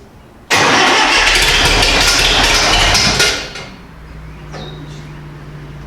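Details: International 2510B loader tractor, cold, after starter repair. About three seconds of loud, steady cranking, then it fires and settles to a low, even hum: normal cold start.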